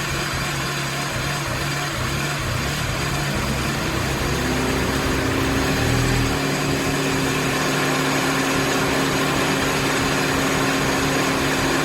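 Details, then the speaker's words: Mini after head gasket and timing chain reassembly, fresh oil, first run: steady, even idle with smooth unbroken exhaust note and no knocks or misses; started slightly rough but runs great. "good news is starch runs runs great just like it did when i shut it off um started a little rough but i let it run for about 10 minutes"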